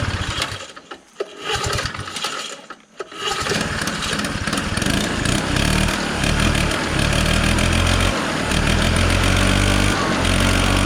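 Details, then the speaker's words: 1969 Polaris Colt 303 Wankel rotary snowmobile, sat for years, after a fuel mixture adjustment: sputtering, then it catches and the note changes, filling out and revving freely as a mouse nest blows out of the hot exhaust. "I suspected mice. Look, there's some more now. Because you hear the note change."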